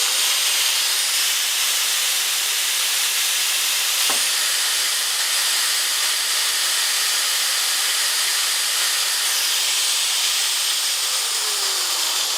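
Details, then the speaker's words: Scrapyard angle grinder switched on for the first time after its brushes were checked, armature and commutator cleaned, new grease applied and a new power cord fitted: a steady, even high-pitched whir with no rattles or speed dips, running smoothly. "And to my amazement, it just seems to work, so don't ask me why anyone would decide to throw this away."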